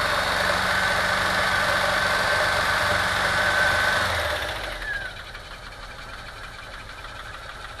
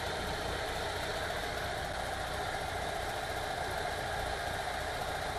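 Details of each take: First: VW T3 2.1L rough running and misfiring while driving, with audible backfiring and a lumpy, uneven beat; ignition scope showed lean burning on cylinder two, no smoke leaks; misfire traced to a burnt exhaust valve. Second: VW T3 2.1L after cylinder heads replaced, previously misfiring and backfiring from a burnt, non-sealing number two exhaust valve; steady even idle with smooth low rumble, no misses or ticks; normal idle after repair.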